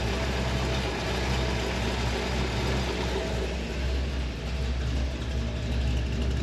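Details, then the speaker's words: 1964 Chevrolet Impala SS 409 V8 fired right up: deep, smooth, even idle burble with no lifter noise or tapping; quiet and healthy, normal idle. "Fire it up. Fired right up. And she's quiet. No lifter noise, no tapping."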